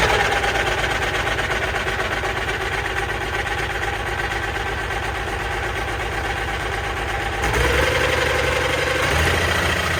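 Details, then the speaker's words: Allis Chalmers 190XT diesel tractor first start after sitting, possibly with starting fluid, hydraulic line leaking oil: catches and settles into an even steady idle, firm low beat, no knocks; normal diesel start-up and idle. "But it fired right up, so that's good. Good sign anyways."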